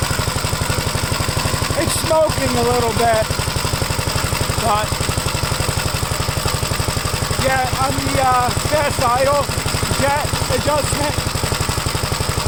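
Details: Gravely single-cylinder engine just after first start following gas tank install and new battery terminal: steady, slightly uneven thud about three per second, running rich on choke; choke later turned fully off and it runs all right.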